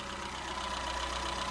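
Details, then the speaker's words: Peugeot 207 Sportium 1.4 salvage car after timing belt and water pump change: fires straight up, warm smooth even idle with steady low drone, no knocks or misses, rain on roof; running healthy. "Just fires straight up. Look at that. Lovely. Running lovely."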